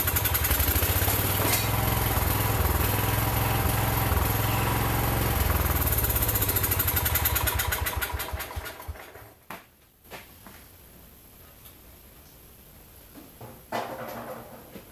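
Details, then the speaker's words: John Deere 110 garden tractor saved from scrap, first run after real battery jump: single-cylinder fires at a steady even beat, no knock or rattle, some smoke from oil put in cylinder, then winds down; runs healthy. "that sounds pretty good there isn't blowing a big cloud out some of that's the oil I put in the cylinder not knocking or rattling"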